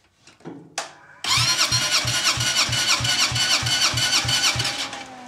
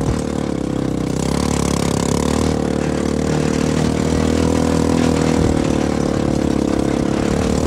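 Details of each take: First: CFMoto 250cc 172MM (GY6-type) single after a head rebuild, cranked by the starter during a compression test: light, quick strokes with little resistance. Gauge reads about 105, still too low; valves likely need adjusting again. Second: CFMoto 250cc 172MM GY6-type single-cylinder buggy after head rebuild (new head, piston, valves) and a re-spliced old pickup coil replacing a bad part, out in the desert under load: strong steady drone holding smoothly under throttle, no misses or knocks; running healthy.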